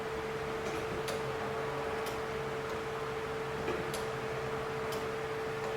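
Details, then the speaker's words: Key-on priming on a 1989 Dodge Daytona ES salvage-yard car, key cycled on and off to prime the fuel system: faint steady mid-pitched fuel pump hum under light ticks, normal priming. "i don't know if you can hear the fuel pump"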